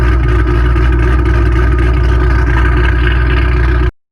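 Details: Ford Mustang 3-valve V8 just after an aftermarket cam install on both sides, reassembled and running, still idling a little high: deep, loud, choppy lumpy pulse about four beats a second, throttle steady; lopey cam, engine running fine.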